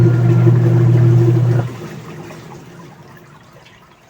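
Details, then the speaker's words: Union Lavamatic washing machine after gearcase replacement, test with water: strong, even motor hum with water churning, no grinding or knocking; agitates normally, no leaks. "So malakas namang umikot. Ayan. Ayun oh. O lakas ang ikot niya."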